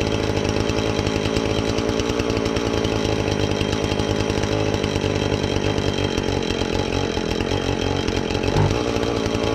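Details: Husqvarna 450 X-Torq chainsaw that wouldn't run, new chain and bar fitted, started to check and adjust the carb (special adjusting tool bought): steady high buzzing two-stroke note, even revs, no stumbling or surging; normal running.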